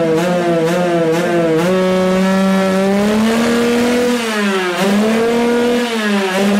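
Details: Rieju MRT moped, AM6 two-stroke after owner's full rebuild, air filter removed, revved: revs climb, then sag and stumble before climbing again; unrestricted intake air bounces off reed valve, engine bogs.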